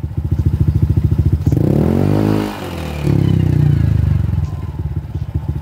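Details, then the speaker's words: Honda ADV150 scooter at 41,000 km, noise at the rear wheel from the transmission, to be fixed by replacing the torque drive bearing assembly. Uneven pulsing rumble with a rough, clattery edge as speed rises and falls; worn torque drive bearing. "So ganyan yung ingay niya. Tapos kung sakali dito mga boss, puntahan nyo agad dito yung torque drive bearing."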